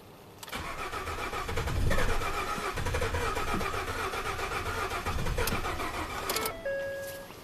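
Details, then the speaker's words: Ford F150 EcoBoost at 220k miles, crank no-start with low fuel pressure code: steady cranking about four turns a second, catching but never firing; fuel rail pressure reached just over 500 psi against 1,000 desired, low side held over 60 psi. "So 1,000 was desired. Actual, it bumped up to a little over 500 and then quit."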